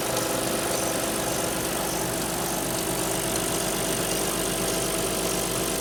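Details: Alfa Romeo 156 V6 in for timing belt replacement, cold start: cold idle with uneven ticking and knocking, under two per second; two distinct abnormal noises heard only cold, not noticed warm on arrival, source unknown.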